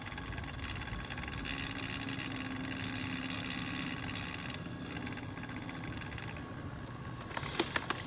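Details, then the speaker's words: Fluke 199C ScopeMeter's small cooling fan whirs with a faint buzzy rub, ticking and thin tone, worst with the meter lying flat on its back and nearly gone when turned on its side; dry fan bearing. "pretty noticeable sound that the fan is [Music] making now if I turn the meter on its side like so see this noise pretty much goes away"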